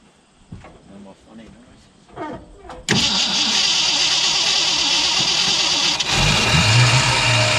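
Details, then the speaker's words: 1965 Ford Mustang 289 V8 after a camshaft replacement catches and settles into a steady, even idle with no misses or knocks; a later noise was traced to a flashlight left near the alternator, bending its tabs. "whoops too far well anyway you get the idea it actually runs so that's it for now"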